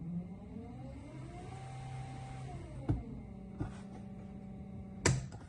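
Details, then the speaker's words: Small electric boat motor on the eBoat v2 test panel, driven forward then reverse by a microcontroller with finely adjustable current percentage: hum and whine rising and easing as speed changes, a few clicks, working normally. "So I'll demonstrate by going forward on this motor. You can now see it running. Reverse. And you can control the speed. You'll be able to hear it"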